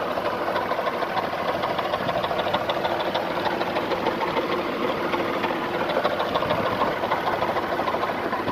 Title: Nissan VG33E Engine Knock